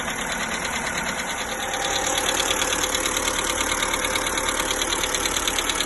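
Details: 1.4 MPI petrol (Polo/Ibiza/Fabia), cold start: fast, even light ticking over idle hum, began ~500 km after oil change, lasts up to 5 min; new hydraulic lifters, rockers and oil changes didn't fix it; cause unknown.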